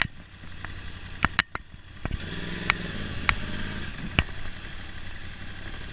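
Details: 2011 Yamaha R1 low, uneven idle broken by sharp irregular pops and cracks at random gaps, typical of a misfiring cylinder.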